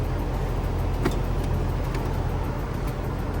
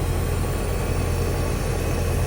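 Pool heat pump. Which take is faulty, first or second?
first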